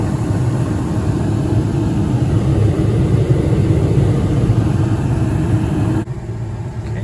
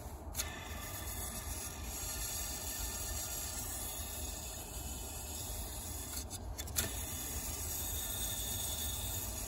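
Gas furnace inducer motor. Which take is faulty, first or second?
second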